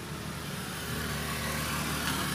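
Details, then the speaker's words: Automatic scooter CVT with stock parts, V-belt start position modified: engine runs with harsh gritty rasp at idle as kick starter pinion, installed during reassembly, catches slightly against the CVT side. "Ini ternyata tadi saya pasang untuk pinion kick starternya ini dia nyangkut nyangkut sedikit di sebelah sini."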